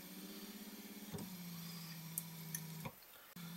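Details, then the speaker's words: 2004 Chevrolet Tahoe rear wiper motor after adding a new ground wire from the motor bracket to the rear latch bolt: steady, even electric hum with no clunking, pausing and restarting cleanly; now working well. "I ended up making a new ground wire I crimped on some ring terminals bolted one to the bracket here that holds on the wiper motor and ran it over to this other bolt that holds on the rear latch assembly here and everything seems to be working good now as you can hear"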